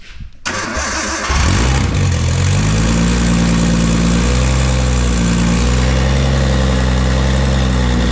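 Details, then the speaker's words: Nissan C33 Laurel with forged RB25, first start after rebuild, not yet tuned: slow cranking, a hesitant catch, then a lumpy idle near 230 pulses a minute with a faintly uneven beat, rough like a tractor. "sounds like a tractor sounds like an absolute piece of [ __ ] well boys and girls this thing officially runs"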